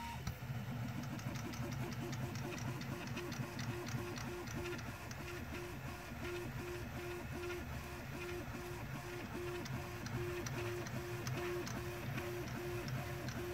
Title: Clicking noise gone after lifting prusa.